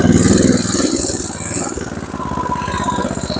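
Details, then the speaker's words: MTD Snowflight two-stage snowblower with a Tecumseh 8 hp Snow-King engine, just restarted with choke and prime: it chugs evenly under drive load with no slipping or grinding; forward drive engages normally. "Okay, forward's good."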